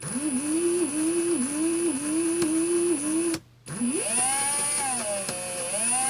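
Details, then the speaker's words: Ryobi R18PD7 brushless drill (2017) at low trigger: whine whose pitch sags and recovers about twice a second as if loaded, then cuts out and restarts more roughly; faulty drill with a straining gearbox noise. "Like it's straining a little bit. Sometimes I can cut out 2 or 3 times, others just once, and but you can hear the strain at low trigger settings. It's like there's a lot of load on the gearbox or something."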